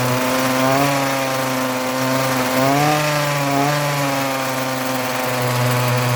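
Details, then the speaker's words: Ryobi RY251PH two-stroke trimmer power head, cold engine; buzzes at high revs, pitch sagging and recovering, dies when throttle released; carburetor has only high-speed adjustment, replacement carburetor and fuel hoses planned; stalls at idle, cause unconfirmed. "starts up pretty well but if I take my hand off of the gas it just dies out it's a cold engine"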